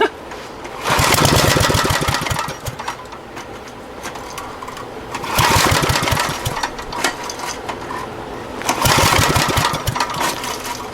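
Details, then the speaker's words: Abandoned Generac generator: three separate pull-start bursts, each a quick ragged whirr that dies away without catching. Owner says it's not getting any fuel; cranking no-start. "Alright. I'd say it's not getting any juice. Ah well."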